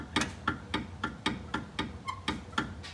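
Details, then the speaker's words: 2002 Jeep Grand Cherokee Laredo, inline-six: rocking the body by hand gives sharp, dry, rapid clicks with each movement. The noise comes from a worn, dry upper A-arm bushing, which is being replaced. "so that noise is coming from the bushing so we're going to go ahead and unbolt it and then remove the bolts holding in the bushing"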